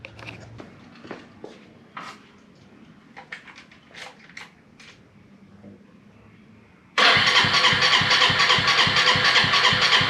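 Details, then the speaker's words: Volty motorcycle, stored a long time, newly fitted battery: scattered clicks then steady rapid cranking that never fires. No start because after storage the carburetor was emptied and the fuel tap left off; the owner forgot to turn it on. "Look, I was trying to turn it on and for a while I stopped recording and I was worried because the motorcycle wouldn't start"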